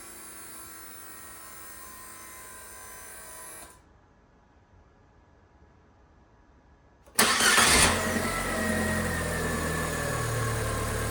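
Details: Fiat 500 after starter Bendix (starter drive) lubrication or replacement to cure a startup squeak: a short, clean crank catches quickly and settles into a steady idle with no squeal or chirp.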